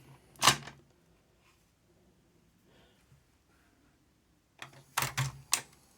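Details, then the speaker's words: Aiwa AD-F410 cassette deck after freeing a jammed transport: a sharp mechanical clack, a pause, then a quick run of clicks as the tray pops out; eject now works normally, possibly jammed after power was cut mid-eject. "look at that it's working again so something inside that I got jammed"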